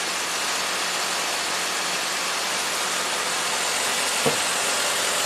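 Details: 2008 Saturn Vue V6 with a year-long low-voltage and dead-battery history, battery and alternator already replaced, idling while voltage drop is tested at the alternator hot post (about 200 mV) with charging at 14.8 V; steady, even hiss-like running with no knocks or misses, a normal idle.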